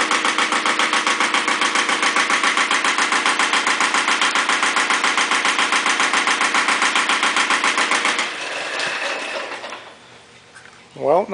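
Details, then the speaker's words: Iseki TX-series diesel tractor (KE70 engine) idling, starts but lacks power; hard regular knock about four per second, then winds down. Owner suspects severe blow-by, though measured blow-by wasn't much worse; cause unconfirmed. "it's just a terrible blow-by issue it seems like it's just using the block as a as an exhaust pipe you'll hear it knock much harder"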